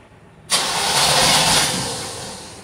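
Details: 1973 Corvette Stingray engine started after 25 years sitting in a garage, carburetor only dusted out with no adjustment; catches cleanly and settles into a steady, even idle with no misses or knocks; normal start and idle.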